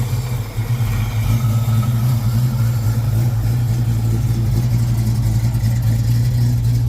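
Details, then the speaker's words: 1995 Mustang Cobra, 331 stroker, first runs after sitting for a while: low, uneven idle that lopes and wavers. Owner believes it has a custom Comp cam and that the idle screw may need a turn. Rough idle. "Oh, it does have a custom uh comp cam, I believe. So, you can hear it a little bit."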